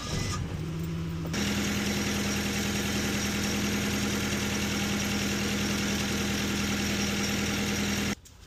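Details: 2011 Nissan Frontier 2.5 with code P0300 random misfire, cylinder 3 misfiring: idles with a slightly uneven, lumpy beat; relative compression and injectors test good, so coils or wiring under the intake suspected, root cause not yet found.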